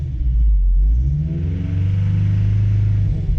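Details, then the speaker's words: 1985 Toyota 4Runner with a 22RE four-cylinder that has a little rod knock, being revved high: a deep rumble swelling with revs and a faint dull knock underneath; lower-end wear suspected. "I don't know if you can hear that or not but I've just been letting her bark dude cuz it's a 22 re and I want to upgrade it either way so if she blows she blows it's the way she goes"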